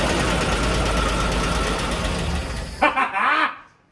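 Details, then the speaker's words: 1970 International Scout, first start in years: old engine idling fairly steadily with a light, quick valve train tick on top, possibly a lifter, and no major knocks heard. "You hear a little valve train tick, but I'm not overly concerned about that. We can see if we can adjust it. It might have a lifter."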